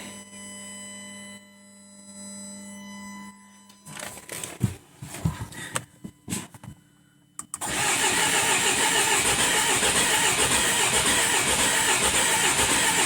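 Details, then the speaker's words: Jaguar F-Pace 204DTD diesel, first start after owner's rebuild with used polished crank, engine mounts not yet connected so engine shaking: a few cranking clunks, catches, loud harsh idle with hissy top end; pretty rough. "pretty rough and hopefully that's not a bit better when I start it up again"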